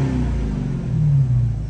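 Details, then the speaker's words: Rebuilt 2019 Dodge Challenger after running a while and being restarted a few times: deep even exhaust rumble building smoothly as revs rise, no misses or knocks; now revs normally, no scan needed, ABS and traction lights still pending. "this thing is sick. And man, I gotta say, I'm super happy that the car actually revs now."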